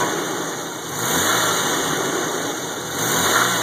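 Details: Jeep 4.0 inline-six idling with a light repeating knock and rattle and a couple of gentle blips; cause undetermined.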